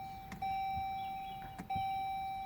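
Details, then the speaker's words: 2018 Chrysler Pacifica, key on with all indicators lit, repeated start attempts: only steady high warning chime, no cranking or engine sound; no-start from dead battery. "i'm going to start this one and I don't know vise it's not working it has all indicator on but I tried to start maybe it had dead battery"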